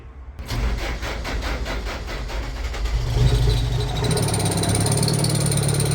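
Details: Franna crane diesel engine that starts and stops, with diesel fed straight into the intake after removing the turbo-to-manifold pipe: several seconds of cranking, then it catches and runs rough and uneven; two sticking injection pump plungers are starving it of fuel.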